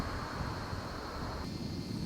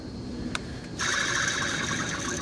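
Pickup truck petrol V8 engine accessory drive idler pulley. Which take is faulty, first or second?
second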